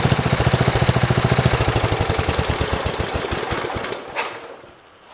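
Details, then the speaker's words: 1973 112 garden tractor single-cylinder after new points, coil, condenser and carburetor: thump near three and a half beats per second turns uneven and stumbles, sagging almost to a stall when the clutch is pushed; misfire. Separate sparking thought to be traced to something touching ground. "So as you can hear, when I pushed on the clutch, it started doing that, the miss."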